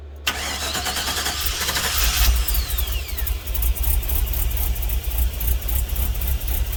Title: LS swapped gmc vandura first start !